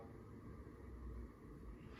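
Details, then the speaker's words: Emerson 1895 series ceiling fan running, with a low, uneven rumble of loud bearing noise. Oiling the bearings with WD-40 did not remove it and only made the noise sound wet instead of dry. "And this Emerson 1895 series ceiling fan that I'm recording a video of, it does have a bearing noise to it, as you can hear it. So the bearings are pretty loud and stuff."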